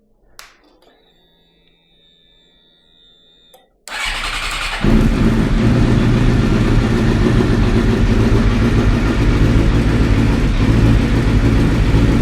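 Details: Suzuki GSX-R K7 750 track bike that stood a long time, first start attempt: catches on the starter and revs strongly and evenly with no knocks or misfires; idle afterwards unconvincing, owner suspects low petrol.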